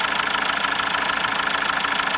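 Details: Mazda just reassembled after camshaft issues, a helicoil repair and injector work, with some blow-by at the oil filler cap: fast, even ticking knock over a rough idle from inside the engine, cause not confirmed; owner fears it may fail.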